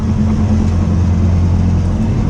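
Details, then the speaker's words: Classic Mini driving on Tail of the Dragon, often floored in second gear: steady low droning hum under the engine; worn wheel bearing hum, replacement bearing ordered. "I hear that wheel bearing. Yeah. It is what it is."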